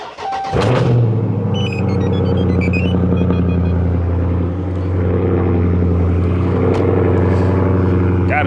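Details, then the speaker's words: Dodge Charger/Challenger 392 Hemi on a cold start after the water pump was replaced at 60k miles: it catches at once and settles into a smooth, quiet, even idle with no squeal, knock or rattle. Normal. "so i'll give it a little startup so y'all can hear how quiet it is now as compared to yesterday when i first heard it it was just god awful"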